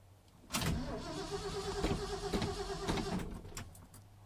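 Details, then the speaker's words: 1978 Ford F-250 cold start, second attempt with hood open, on a very bad battery being charged: rhythmic starter chug for about four seconds, never fires; owner blames cold temperature, cause unconfirmed. "isn't she one turn over come on baby you're live no what the hell damn yeah that that cold temperature ain't no joke"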